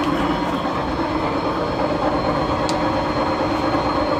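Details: Steady rumbling rattle with a rough, uneven grind and no clear rhythm; suspected bad shaft bearings, not confirmed.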